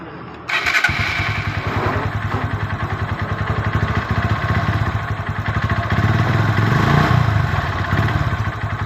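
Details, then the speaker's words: Honda CB Verza motorcycle with faulty spark plug cap: engine catches and settles into a rough, slightly uneven idle putter with irregular beats; engine dies when a screwdriver is held near it, cap to be replaced. "Ini kepala businya bermasalah ya guys, kita hidupkan"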